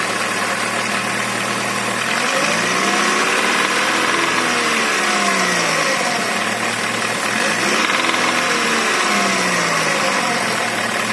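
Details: Chevrolet Rezzo with A16DMS engine knocks from about 1500 rpm upward, recorded just after a fresh start; revs rise and fall with a rough knock riding the engine note past low revs; cause unknown, engine to be dismantled.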